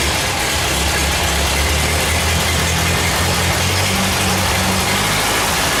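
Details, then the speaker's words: Ford 8N tractor, freshly rebuilt engine running on an untouched out-of-the-box carburetor; steady, even run with no knocks or misses; some funny noise at the front remains. "well there sounds like she's a little bit of a tuner on the carburetor that's just right out of the box I didn't even I didn't just anything at all so that makes me pretty happy"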